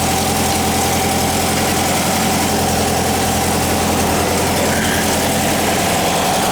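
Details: 1959 VW single cab pickup under restoration, newly installed air-cooled engine warming up after start: steady, even idle with a low, smooth beat, no knocks or ticks; normal healthy idle.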